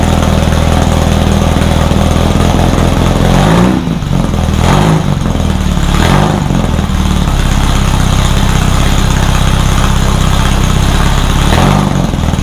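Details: Rebuilt VW 1600 flat-four in a Baja Bug, first start after a two-year teardown, after retarding over-advanced timing: steady low idle with an even beat and brief throttle blips; ran pretty good, idle still being tweaked.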